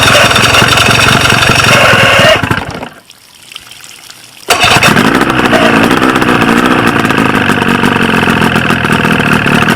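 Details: 1995 Force 40 hp outboard with water in the cylinders, after flooding with fuel: cranks and catches, dies briefly, then restarts into a raspy, uneven, lumpy run; firing on only one cylinder.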